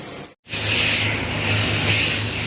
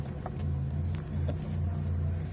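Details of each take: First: Hyundai Santro Xing that had missing and poor pickup, after replacing the camshaft position sensor: it starts and pulls smoothly through acceleration to about 40–50 km/h on a test drive, with no stumbling. The misfire is gone. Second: Hyundai Santro Xing at 52,205 km with a misfire and poor pickup despite two new ignition coils and four new spark plugs; it starts and settles into a low hum that wavers and dips unevenly, a misfire.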